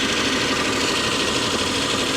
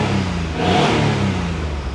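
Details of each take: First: Abandoned Geo Metro LSi convertible, three-cylinder, year unknown, long-dormant, just started: steady fast busy idle at about 1500 RPM with no drop or hunt, obviously too high; owner suspects an adjustable set screw for idle speed, cause unconfirmed. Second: Abandoned Geo Metro LSi convertible, three-cylinder, possibly 51,000 miles, half tank of gas, starts on its own battery; small engine blips up smoothly and eases back to an even idle without stumbling or knocking, not pretty but runs; normal revving.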